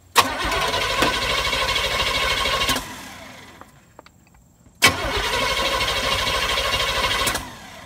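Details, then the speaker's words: Car that ran before but now won't run; fuel filter fine, drained gas looks like sweet tea: two long cranking bursts of about three turns a second that never catch. Crank no start from contaminated fuel. "You know it don't want to run when it did run. And we got a suspicion that we got some really bad junk in the gas tank."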